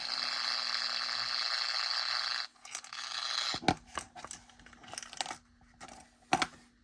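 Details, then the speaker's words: Old Athearn Bluebox HO boxcar modified with underside speaker, first power-up on a brand new battery: about two seconds of static-like hiss, then scattered clicks; sound board puts out static instead of sound, purpose unknown. "Well, it's making sound. But it's more like just static. It's weird."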